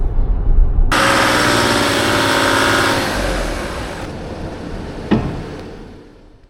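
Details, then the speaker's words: Land Rover Discovery 4 with freshly rebuilt 3.0L SDV6 diesel held at 3,000 rpm, second turbo stage working: strong steady roar winding down smoothly, no stumbling or limp mode, no restricted performance. "so it does work in the second Turbo stage here I got here 3,000 RPM no restricted performance"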